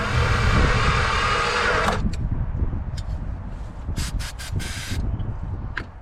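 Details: 1962 Plymouth Valiant Slant Six, long non-running: loud ragged firing for about two seconds on starting fluid, then dies back to uneven cranking; won't keep running, bad spark plugs suspected.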